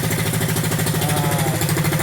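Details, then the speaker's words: Hisun Coleman CT200-U after Go Power Sport Stage 1 kit: low, steady thumping idle with a regular beat, no misfires or rattles; engine running properly. "Sounds really good. So, yeah, if you guys are thinking about it, definitely do it."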